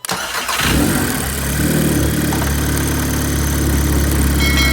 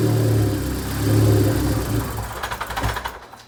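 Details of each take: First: 2006 Audi A3 that stalled at start-up from a vacuum leak traced with a smoke tester to a failed blow-off valve spring, after repair with JB Weld; cranks, catches quickly and holds a steady, even idle with no stumble; normal start and idle. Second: 2006 Audi A3 with a vacuum leak, after regluing a part with JB Weld: engine catches and revs briefly, then sputters and dies within three seconds, stalling after start.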